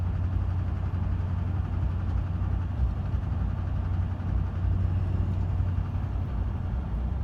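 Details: 2005 Chevy Silverado 2500 6.6 Duramax diesel at idle: deep, rough rumble with an intermittent uneven knock; a shop suggested Sea Foam, and after a few cans the noise went away.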